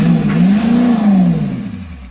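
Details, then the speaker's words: 7.3 IDI diesel U-Haul truck after new fuel system and filter, air bled from the lines: revs up then drops smoothly back to idle without stumbling; now idles, where before it wouldn't catch itself. "This is stupid, but I'm gonna try starting it without She idles now."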